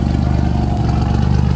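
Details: Engine idling after RJC V-Band exhaust gaskets were installed, heard on a walk-around: steady, even low idle with a smooth, regular pulse and no ticking or puffing; exhaust sounds sealed and healthy.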